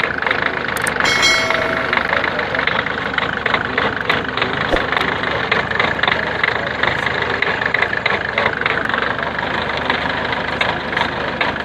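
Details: Ford Figo 1.4 TDCi diesel at idle, with engine noise and vibration: sharp, uneven clatter ticking about three times a second over the engine note; faulty injector, fixed by replacing it.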